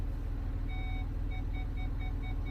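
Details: 2006 Land Rover Discovery 3 parking sensors, tested during fault finding: over a low engine idle rumble, evenly spaced short beeps come about three times a second. The sensors are working normally.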